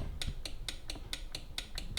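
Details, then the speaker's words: Delonghi Magnifica S showing a grounds-tray-full fault with an empty tray. The tray microswitch is tapped, giving crisp, sharp clicks about four a second. It actuates cleanly; trapped coffee grounds can block it. "and if I was to get a plastic object I'm going to show you what it sounds like hopefully you will hear this click"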